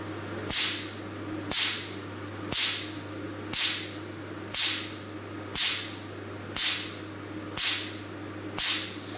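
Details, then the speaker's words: Forimi Cool Blue Shark 600 ps picosecond tattoo-removal laser, stability test firing onto paper inside plastic bag, starting at low energy: crisp loud snaps about once a second; crisp sound indicates the short 600 ps pulse is achieved, normal. "you can hear the sound is very crisp. The sound very crisp and very loud. It means the pulse was very short."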